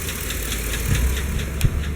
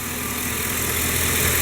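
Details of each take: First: Chevy Silverado / GMC Sierra 5.3 V8 at idle with a light, sharp lifter tick of about four to five a second over a steady idle. It comes and goes, and oil pressure is good. A new O-ring solved it. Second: Chevy Silverado/GMC Sierra 5.3 V8 with intermittent lifter tick, during a quiet spell at idle: steady even idle, smooth low rumble, no top-end tapping; new O ring later fixed it, otherwise lifters or camshaft considered.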